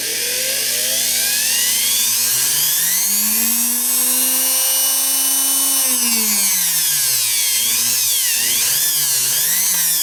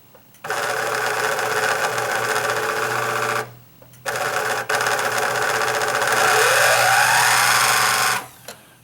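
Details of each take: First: Spare sewing machine motor made in May 1971, with good bearings and no shaft play, used for comparison with a Singer Quantum XL1000's shot motor bearing: smooth, clean whine rising and falling with the speed control, then stopping. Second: Singer Quantum XL1000 sewing machine main motor spinning freely with belt and idler pulley removed, harsh rattling buzz in bursts; motor shaft end wiggles; worn motor bearing.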